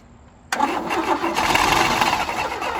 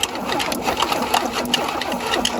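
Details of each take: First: Abandoned 1977 Chevy Camaro on booster with carb cleaner: fast, uneven cranking with weak catches that never take hold. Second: Abandoned 1977 Chevy Camaro, starter working after a screwdriver fix for a suspected poor connection: fast, even cranking with spark plugs out and no firing, air shooting from a plug hole. The engine turns freely and has compression.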